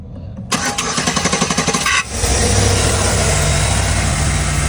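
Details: Chevy Express van with a no-crank no-start, starter relay pins jumped: brisk even cranking about a second and a half, then catches and settles into steady idle; fuse and starter good, relay suspected.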